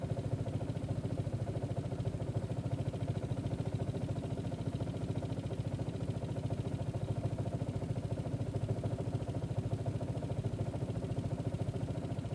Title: 1.8t aww rough idle